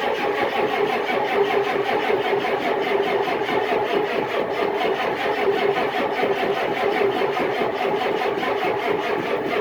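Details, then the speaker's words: Cold start attempt below zero in December, camera on a tripod, battery boosted by charger about 10 minutes: steady starter churning for ten seconds without catching; hard cold start, no start, should have used ether. "that was a real [ __ ] to get going i should have just [ __ ] hit her with a sniffy ether in the first place"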